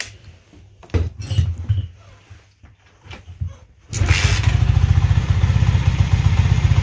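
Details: Alpha Delta Vento 110cc moped idling after a suspected fake Chinese piston that knocked was replaced with a supposedly original new piston (valve clearances not yet checked): the engine catches after handling noise and settles into a quiet, even idle with no knock; it sounds healthy.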